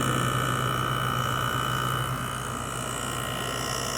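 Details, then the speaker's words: LG 6000 BTU window air conditioner heard from outside near condenser, GMCC single-phase rotary compressor and fan motor: steady even hum, constant mid-pitch tone, no knocks or rattles; normal compressor running. "It has a GMCC rotary compressor in it, and a broad fan motor. Hear the compressor a little bit better in here."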